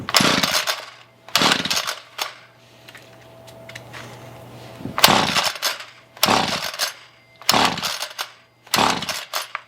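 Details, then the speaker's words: Ryobi string trimmer after carburetor cleaning, choke on: repeated sharp recoil pulls with no firing or catch; no spark now, plug removed for a spark check. "not want to do anything now all right so somewhere between cleaning the carburetor and trying to start it up I have no fire anymore"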